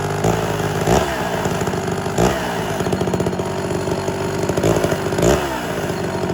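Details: Homelite Super XL chainsaw with rebuilt Tillotson carburetor and swapped cylinder, high-speed screw being set near max rpm. High two-stroke buzz swells and sags every second or two: surging; owner suspects a problem as settings seem to change.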